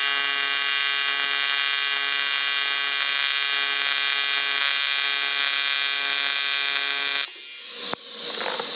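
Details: ARCCAPTAIN 200P AC/DC TIG welder on AC at 140 Hz, balance 20%, after raising frequency and adjusting balance: steady high-pitched buzz holding one even tone until the arc cuts off; smooth normal AC TIG arc.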